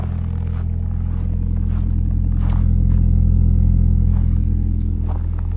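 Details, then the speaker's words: 2012 Ford Focus 5-speed on a cold start at about 10 degrees: deep steady rumble with a faint rhythmic clatter, about four beats a second, clunkier and felt in the car; source unknown, owner suspects dash vibration, sports exhaust or motor mounts. "Let's take a listen to this kind of rumble that happens on cold starts. Still not exactly sure what this is, but let's go for it."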